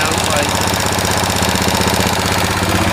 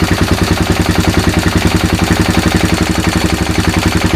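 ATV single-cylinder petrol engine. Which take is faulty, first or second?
first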